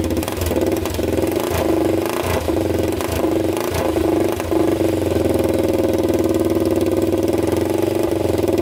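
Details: 1999 Honda 400EX quad, first start after a full engine rebuild with the choke on; steady, even single-cylinder putter settling into a smooth idle with no knocks or misses; engine running healthy.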